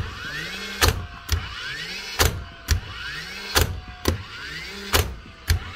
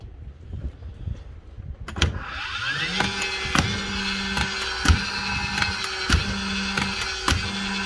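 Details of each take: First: Nailer in a power-tool repair shop after cleaning the driver and replacing worn springs: short rising flywheel whir then a crisp drive bang, eight shots in pairs; the nailer fires cleanly and consistently after repair. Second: DeWalt nailer: motor spins up, then each trigger pull gives a sharp click about once a second with no firing; worn return springs, with the pin or axis generally worn.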